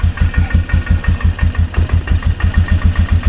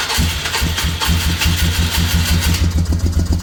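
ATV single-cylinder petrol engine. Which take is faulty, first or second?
second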